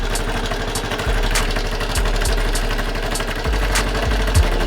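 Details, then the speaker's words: Honda Super Cub 110 Pro (C110, JA07) just bought, idling after kick-start; light quick clack over the single's beat plus sharper taps, seller suspected clutch/crank but tappets judged needing adjustment. "so the seller was talking about how there's a clacking sound coming from the crank cos he suspected there was a problem with the clutch but uh I think this habit this needs to be adjusted"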